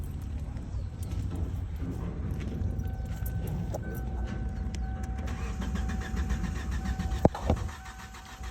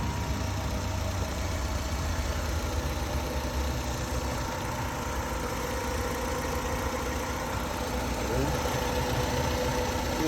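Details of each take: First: 2007 Kia Sportage 2.0L cranks but won't start: muffled steady starter cranking after a key jingle with no firing; fuses and ECM main relay checked OK, new control board fitted; crank and cam sensors get no 12 V supply, source (ECM or fuse box) unknown. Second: 2007 Kia Sportage 2.0L, previously a crank-no-start with fuses, ECM relay and control board checked: starts and holds a steady, even idle with a smooth low hum and no misses, knocks or stumbles.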